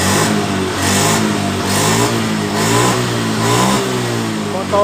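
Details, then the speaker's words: Honda Beat ESP scooter that died when throttle opened due to low 42 psi fuel pressure, after repair: clean throttle blips, revs rise and fall smoothly without cutting out; normal after repair. "hidup dengan normal eh setelah kita mengganti di bagian dari rotaknya eh motor ini langsung dalam keadaan normal"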